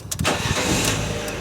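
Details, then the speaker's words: Fiat 500 Lounge, rebuilt Category S car, started on MOT day after a rattle fix near the exhaust: quick crank, clean catch, steady even idle with no rattle; healthy start. "yeah no rattle no rattle right hopefully that's done it"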